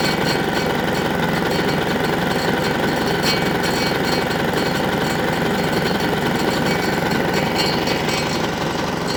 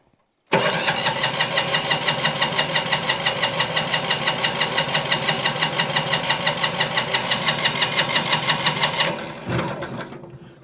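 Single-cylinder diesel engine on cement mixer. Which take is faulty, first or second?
second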